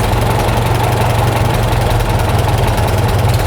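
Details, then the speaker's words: Farmall tractor with a freshly rebuilt carburetor, idle mixture screw backed out: a low, uneven, fluttering idle that never settles. Rough running from the mis-set mixture screw. "Then this next adjustment with this screw is where you would have, if you have a flutter in the idle, it's just not running smooth. You back that out so you can hear a difference."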